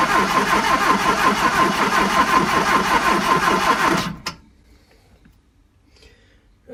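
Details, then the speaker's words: 1971 Fiat 850 Sport Coupe petrol engine after fitting new coil, points, condenser and distributor arm: starter cranks briskly and evenly, about three beats a second, but never fires, still no spark; later found the new points made no contact. "Still sounds like we're not getting a spark. This is infuriating."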